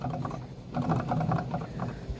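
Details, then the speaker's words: 1996 Polaris XCR440 SP EFI two-stroke snowmobile engine, recoil missing, turned over slowly: a rough, ratcheting grind pulsing with rotation from badly worn, very grindy crankshaft bearings. "And it has the world's most grindy crank bearings."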